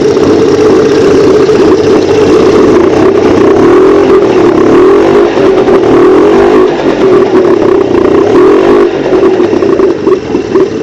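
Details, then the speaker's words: Suzuki 85 hp outboard after carburetor stripdown and reassembly, prop off, warm but not hot: steady mid-pitched even idle with no misses or rattles, running well. "Anyway, that's firing up, running well, that. It's running at a nice temperature. Not too hot, but warm enough."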